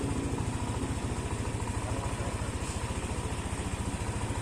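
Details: Yamaha NMAX scooter, 5877 km, over 2 years old, engine suddenly got noisy, likely failed tensioner; after repair, reassembly and coolant refill: low, steady putter at even idle with no ticking or rattle on top; quiet, healthy normal idle again.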